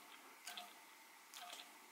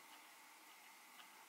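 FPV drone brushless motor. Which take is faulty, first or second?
first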